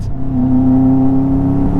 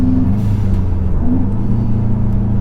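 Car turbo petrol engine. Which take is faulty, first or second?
first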